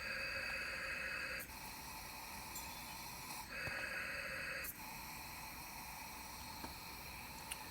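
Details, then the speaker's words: Turbo diverter valve bench-tested under applied boost around 15 psi: steady airy hiss rising and falling as pressure is applied and released; air escaping past the valve, not sealing. "go to about 15 definitely got some of you know we can hear it hissing out of there"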